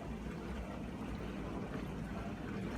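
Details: Miele G4500SC slimline dishwasher found in a skip, which first blew a fuse, now running with salt added: even low pump rumble with steady water swishing and no grinding or knocking; a normal wash cycle.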